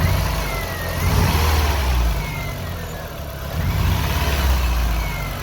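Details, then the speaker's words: 2000 VW Golf Mk4 GTI 1.8T AGU before repair: an uneven, stumbling note that swells and sags as it revs. The misfire runs through the rev range, with a fuel smell, and is traced to a failed ignition amplifier on the airbox. "I came to a stop, the car had sort of developed a weird misfire, and it was there through the rev range. It made it like driving very difficult."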